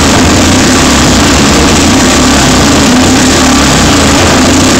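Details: Rare 500cc Excelsior Manxman single test-started for the first time after an extensive rebuild, tank and brakes still unfitted: loud, even single-cylinder bark held steady with no knocks or misses, engine running healthily.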